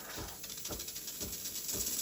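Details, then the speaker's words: Breville Barista Express BES870BKS single-boiler espresso machine steaming milk for a latte: steady hiss with soft pump throb about twice a second, which signals full pressure in steam mode; normal. "So when you hear the pump pulsating, that's about full pressure, or that's steaming mode really."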